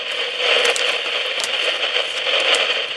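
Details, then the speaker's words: PNP germanium transistor in a homebrew test jig, output fed to a utility amplifier: dense, steady crackling hiss like heavy rain, no gain or signal getting through. A noisy, dead surplus transistor. "so soon complete noise it has no no gain [Applause] it just sounds like a a rainstorm"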